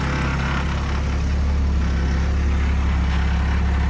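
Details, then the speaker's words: Crusader idling after a new GT30 76-style turbo (7-blade front housing) and a full service with plugs changed from BKR7E to BKR6E: steady, even low idle with a smooth pulse, no knocks, ticks or hiss, no leaks seen; normal idle. "But yeah, should be good. Sounds good. I'm not seeing any leaks. Seems happy."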